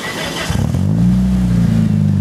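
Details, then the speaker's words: 1997 Mitsubishi Eclipse with faulty upstream O2 sensor stuck fixed rich (P0300 misfire): on initial startup in open loop it catches and idles smoothly and evenly; it starts chugging once in closed loop. "here how smooth it's running initial startup O2 related stuff don't use the O2 on initial startup"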